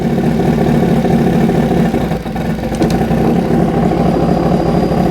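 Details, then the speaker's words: 2005 Yamaha R6 after a valve adjustment, idle-screw throttle body sync with vacuum gauges. Low, lumpy idle that wavers and stumbles, and the engine dies. The two banks are far out of sync. "so that time i went the wrong way so i have to go ahead and go back the other oh i killed it that time you can see the two the two uh banks are really far off"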